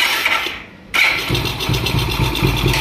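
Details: Motorcycle (Hero Plus model): short clean crank, catches within a second and settles to even idle, no grinding or whirring from the self-start motor; normal starter engagement.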